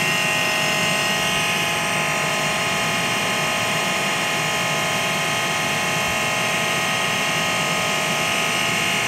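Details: AEG Lavatherm 56800 tumble dryer after a PCB relay swap fixing a motor that turned only one direction: a constant, even hum and whir with no grinding, clicking or surging. The motor runs normally.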